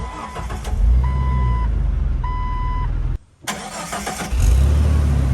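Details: Car after its first engine swap: chime pings, brief pause, then the new engine catches quickly and settles into a smooth, steady idle with no knocks or ticks and no dash warning lights.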